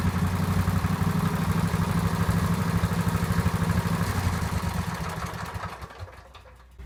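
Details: Free neighbour's garage-find Cub Cadet 1190 lawn tractor, twin engine, revival after storage: low, even chugging run for several seconds, then winds down and quiets; runs fine.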